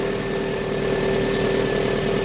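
Steady, even idle with a constant hum and no misses, ticks or knocks; engine running healthy.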